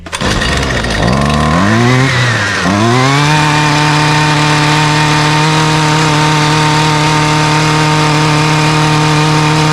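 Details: Husqvarna string trimmer after servicing (spark plug gapped, checked for leaks, air filter refitted), choked, primed, at full throttle: it catches, surges briefly, then holds a steady, even high buzz with no misses; healthy.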